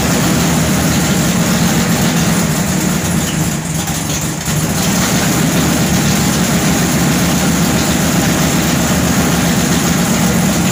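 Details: Newly installed 511 low-deck wedge V8 (440-based block) with MSD ignition and B1-sourced headers: loud, deep uneven idle chug, a rough loping beat about three to four per second, typical of a big lumpy cam.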